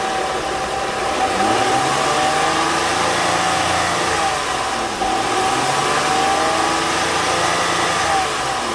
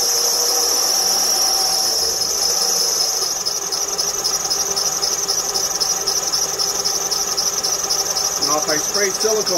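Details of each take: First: 2006 Honda Ridgeline after alternator replacement and belt/pulley alignment check: engine revs up and settles back smoothly with no squeal; the belt noise is gone, normal quiet belt drive. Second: 2006 Honda Ridgeline after remanufactured alternator replacement: loud, steady high-pitched belt squeal over idle; pulleys look aligned, belt, idler and tensioner seem fine; spraying belt silences it briefly; pulley alignment/groove suspected, not confirmed.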